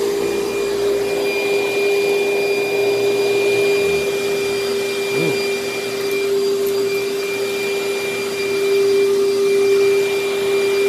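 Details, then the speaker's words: Vacuum cleaner with good belt tension and its paper bag about a third full, running: a steady, even high motor whine with constant airflow rush and no surging or rattles. Suction is solid; it works very well. "yes this thing works very very well the suction is solid on it"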